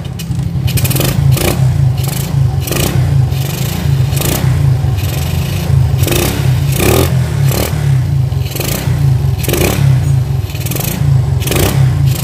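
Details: Shogun 110 single after carburetor dismantled and cleaned inside and out: pulls cleanly, revving up and down in regular blips about every second with crisp, steady firing; runs healthy.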